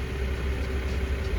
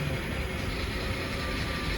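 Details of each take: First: BMW E60 525i 3.0 N53 petrol with misfire codes (29CD), unstable idle and power loss. After the faulty ignition coil was replaced and codes cleared, it shows an even, steady idle with no shake or odd noises: normal idle. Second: BMW E60 525i 3.0 petrol N53 at idle after swapping coils: uneven, lumpy idle with irregular dull thump, still running badly; fault reads misfire in cylinder 2, where coil 1 was moved, so that coil is bad.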